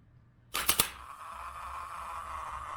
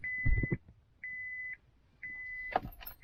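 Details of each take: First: 2000 Acura 3.2 TL original starter motor, about 607,169 miles, removed and bench-tested with a jumper lead to battery positive after a no-crank condition: contact snaps, then a thin, weak whir that never builds speed; the motor is tired and won't roll. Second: 2000 Acura 3.2 TL with no-crank condition, over 607,000 miles: key turned in park with foot on brake gives a sharp single click, none with foot off; brake/neutral safety switch circuit judged good.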